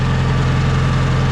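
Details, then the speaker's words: Tractor Sid at idle: steady low drumming with faint uneven knock; something clunks when engaged though clutch does engage, cause not pinned down. "it's a little bit noisy in there sounds like something's clunking but it is engaging the clutch so that's not the issue yet"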